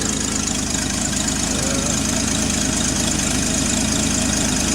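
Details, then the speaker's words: Engine at idle with points found set at 0.016 instead of the required 0.017; slightly uneven idle with a light quick puffing tick about four times a second, a new small exhaust leak. "um it's got a little exhaust leak didn't have that a little while ago well didn't have that the other day when I"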